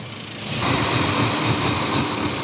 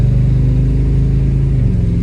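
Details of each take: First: Dually Indy 500 pace truck with TBI fuel injection, after refitting a loose coil wire: engine hangs at about 1500 rpm idle and stumbles, breaking up unevenly; owner suspected advanced timing or idle air control valve. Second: Dually pace truck with TBI V8 on first drive after a new fuel pump: deep, smooth drone holding steady under light load with no stumble or surging; truck runs and pulls well.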